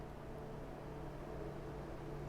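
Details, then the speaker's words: PC in a DeepCool Quadstellar case (i7-7820X, Strix 1080 Ti, H150i Pro), Quadstellar and MF120 fans switched to the powerful profile for a few degrees better cooling: a loud, constant airy whoosh with a faint hum, no rattles; normal high-speed fan noise. "Now, if you want better cooling, like a few degrees Celsius, you can put it to powerful, but this is how loud the fans"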